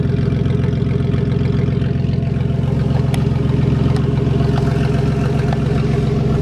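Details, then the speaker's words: Old Ford van idling after a positive battery terminal problem causing intermittent no-start was fixed: deep, even exhaust pulse with steady rhythm, no misses or knocks; runs pretty good. "So now we got this. Runs pretty good."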